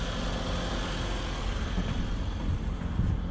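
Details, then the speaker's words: 1999–2002 Mitsubishi Mirage small four-cylinder at idle after alternator installation: steady, even low hum, no squeal, whine or knock; pulleys spinning, normal. "make sure everything's spinning no noise there's a spinning looks like it's working"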